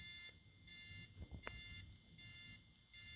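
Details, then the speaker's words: K-Force Micro 14 linear LED lightbar: intermittent rapid electronic beeping and buzzing about three times a second, which then stopped on its own. It is unclear whether this is normal; the cause is unknown. "okay that's weird I don't know if you can hear that it's actually beeping and buzzing on that particular"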